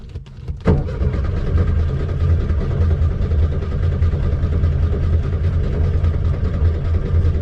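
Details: 1972 VW Beetle, flooded, won't start: steady, even cranking drone for several seconds with no catch or firing; cranks but won't start, cause suspected, not confirmed.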